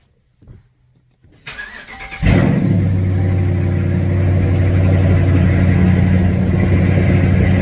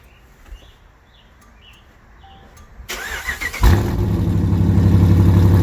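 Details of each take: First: Dodge Challenger R/T 5.7 V8 cold start after installing BBK long-tube headers, with a check engine light on for the active exhaust actuator: a brief crank, then a deep, even V8 idle with no misses or knocks, a normal start. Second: Dodge Challenger R/T 5.7 V8 on first start after fitting BBK long-tube headers. It cranks and catches into a lumpy idle with a sharp, even puffing tick about four per second: an exhaust leak at the clamps, which need fixing.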